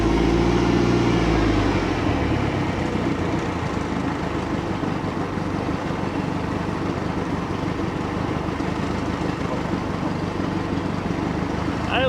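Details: 1967 StarCraft Holiday boat sterndrive engine, first start of the year after spring tune-up, warming up with water circulating: steady, even low burble at idle over water splash, no knocks or misses; quiet, healthy idle.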